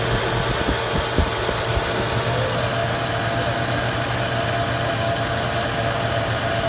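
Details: 3rd-generation Toyota 4Runner SUV at idle: thin steady whine over a loose rattling underneath, started right after an oil change; cause unclear.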